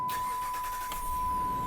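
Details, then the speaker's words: 2006 Dodge Ram 1500 SLT, 5.7L Hemi V8, just over 200,000 miles: brief crank, catches at once and settles into even idle with no stumble or hesitation; no engine lights on. "Starts right up, no hesitation. Just over 200,000 on it. There's no engine lights on."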